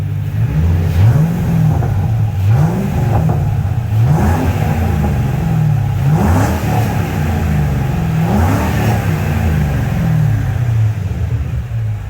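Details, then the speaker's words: Ford 4.6 3V V8 after ported heads and timing set replacement, MagnaFlow catback, otherwise stock: deep steady burble with clean revs, no valvetrain noise, only injector ticking; running smooth, no check engine lights. "But yeah, no valve train noise. That is the injectors that you're hearing. So it's running super smooth."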